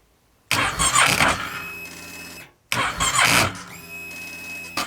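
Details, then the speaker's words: Kawasaki ER6/Versys 650 cranking hard even with a new battery; two long whirring starter bursts, engine barely catching, from a charging-system fault (regulator rectifier or stator checked). "Yeah, this bike left me stranded and it wasn’t the battery."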